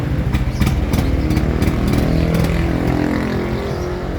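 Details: Yamaha NMAX V2 (2.1) scooter that would not start, fixed after finding a burnt connector socket: small engine catches and keeps a steady putter, revving lightly; starts and runs normally.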